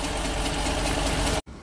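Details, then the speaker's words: 2012 Ford E450 bus with replacement V10 engine: loud, rough, uneven stumbling idle; two-cylinder misfire on cylinders 8 and 9, with number 9 spark plug black and wet with fuel, checked with in-cylinder pressure transducer. "I think we have to put the in-cylinder pressure transducer on number 8 and number 9. The two-cylinder misfire"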